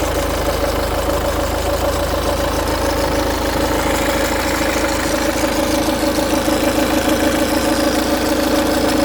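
Steady diesel idle with a fine, fast metallic rattle running through it at about two per second, pointing toward the timing chain. Cause suspected, not confirmed.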